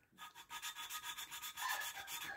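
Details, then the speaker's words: Hand-lapping a valve into its seat in a refurbished cylinder head with grinding compound, no machine shop; steady back-and-forth gritty rubbing about three strokes a second, sound changing as the valve beds in. "then you start to see how you hear the valve grinding yes you can hear the valve grinding because i had already had some grinding compound on it"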